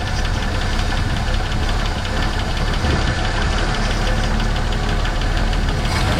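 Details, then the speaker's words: 1970.5 Ford Falcon after sitting 28 years, on hand-fed fuel: steady even low rumble, no misses, no smoke or blow-by; won't draw its own fuel, owner suspects dead fuel pump. "Well, it runs. It runs awesome. She's not grabbing this though. Maybe the fuel pump died."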